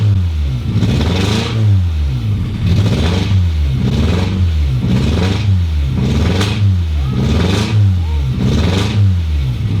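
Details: Mk1 Toyota MR2 (GE engine) just started after about 12 years, no exhaust fitted: very loud open-pipe engine with slightly uneven beat, blipped about every 1.5 s, rough but smoothing out; cause not confirmed.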